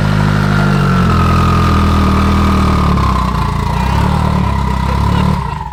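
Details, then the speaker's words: Car with a drivetrain swapped in one day, switched from ethanol to pump gas, fuel pressure raised from 34 to 42, barely any exhaust fitted. Steady, even low idle with a crisp, loud exhaust note and no knocks or misses; normal running. "Oh my God, swap in one day. It sounds sick."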